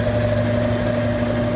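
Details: Consul CWE15 washing machine after repair, with the safety lock refitted: steady, even drain pump hum with a clean low drone and no knocks, rattles or grinding.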